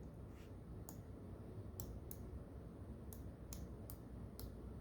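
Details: Light crisp clicks as the joystick on a Razer Tartarus V2 keypad sweeps around, one direction staying silent: a detent switch not clicking or registering, with diagonal strafing failing.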